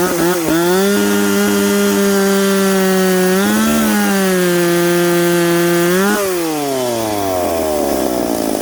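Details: Piped McCulloch Pro Mac 850 two-stroke chainsaw cutting two-year-seasoned oak, tuned ragged-edge lean: high steady scream through the cut at about 10,300 rpm, dipping slightly under load and recovering, then winding down; healthy.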